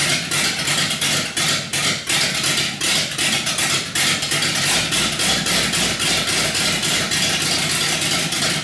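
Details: 318 V8 built for a deliberately rough idle: raised compression with Keith Black 6cc domed pistons and a Comp Cams cam; choppy, loping idle with sharp uneven exhaust beat about three pulses a second; normal lopey cammed idle.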